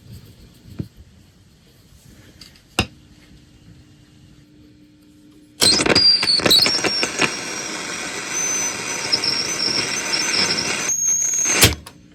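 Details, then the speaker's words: 1960 Grundig 3165 radio slowly powered up on a variable supply, around 50 volts: a sharp steady high whistle over hiss appears suddenly, holds about six seconds, then cuts out; a fault squeal at power-up. "50 volts nothing yet oh wait I hear something foreign"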